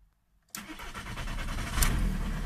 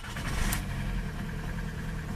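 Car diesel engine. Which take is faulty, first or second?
second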